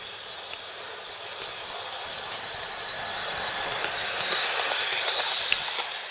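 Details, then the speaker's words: Hornby R2701 Intercity 125 HST Class 43 model: thin high squeak with faint ticking from the trailer car. Plastic modelled brake shoes are suspected of rubbing the wheels and causing friction and the squeak. "Looking underneath, I think it's going to be these plastic modelled brake shoes that are rubbing against the wheels."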